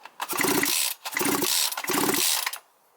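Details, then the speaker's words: Small two-stroke brushcutter/chainsaw that shuts off after 15 minutes when hot: after replacing torn crankcase gasket (old rings kept), three hard starter pulls give firm distinct compression pops; good cranking compression, seals and gasket holding. "Такі хлопки мають бути при правильній роботі сальників та прокладки. Якщо прокладка ціла і сальники не пропускають, отакий звук має бути."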